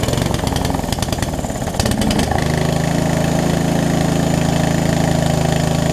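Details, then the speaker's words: Murray riding mower, sitting for years, started on choke during a carb and fuel-line refresh. It stumbles and chugs, then runs lumpy and uneven. Owner suspects too-small fuel line, a worn carb and a leaking needle and seat. "I think the fuel line is it's a mix between it's too little and the carb is probably a little too messed up at this point, so to speak, to run properly."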